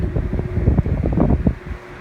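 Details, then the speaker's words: Thrift-store GE 12-inch table fan on a test rig, run at high speed on 15 microfarads capacitance, drawing about 0.95 A: low irregular rattling over a deep hum as it reaches speed; base rattling against the table. "And actually it's got, okay, it's up to speed. It's just rattling on the table."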